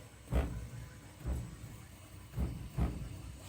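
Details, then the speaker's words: Concord forced-air furnace/air handler in a house about 1.5 years old, since a new AC compressor install weeks ago: low thumps every second or so over a quiet hiss, starting and stopping repeatedly; lines freezing cold, Nest thermostat; owner suspects capacitor or electronics. Repeated start-stop noise. "it sounds like this thing is starting and stopping starting and stopping starting and stopping"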